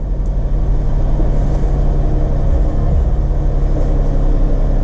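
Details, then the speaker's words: Jeep Grand Cherokee WK2 just after spark plug and PCV valve replacement and intake plenum gasket work, hood up: starts and settles into a smooth, even idle with no misfire or ticking, no codes. "But I want to start it up, and let's see, I got when I opened the door, it gave me the memory 1 option, so let's see how it does. See if we're getting codes or anything here. Looking good so far."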